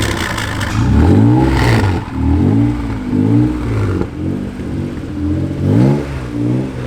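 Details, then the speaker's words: Junkyard-rescued Honda NSX revved in short blips before a test drive: pitch rises and falls with a loose clattery rattle on each rev; didn't sound great, source not identified, cause unconfirmed. "It didn't sound too great when we revved it, but... We'll do a pull."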